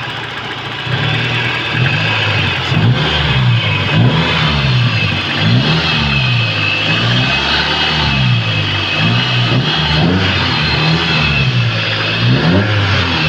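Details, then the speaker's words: 1993 Toyota Corolla big body after replacing a knocking transmission with a newly installed one: revs rise and fall smoothly with no knock or whine from the gearbox; normal running, quiet, shifting fine. "Oh, tahimik na. Sayang walang decorate na action. Ayos ang shifting."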